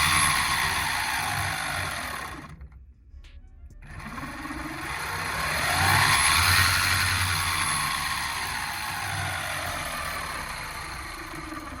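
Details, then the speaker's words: Electric skateboard fitted with an aftermarket gear drive kit, riding: steady gear whine rising and falling with speed, no knocking or grinding, described as a bit quieter; normal gear drive running. "now some people are curious what the Gear Drive sounds like I actually think it's a bit quieter check it out"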